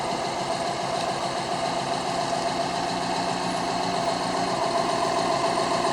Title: Misfiring WRX